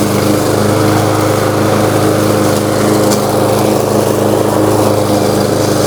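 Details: New Lowe's M230 163cc self-propelled lawnmower cutting tall grass in mulching mode at about a 3.5–4 inch height: steady, even single-cylinder drone holding speed, no misses or surging; healthy under load.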